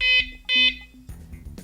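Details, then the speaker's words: Wsdcam bike alarm for Lectric XP e-bike: two short high-pitched chirps, signalling it is now arming itself. "once you do that it actually is telling you that it's now arming itself so you'll hear that when you do it"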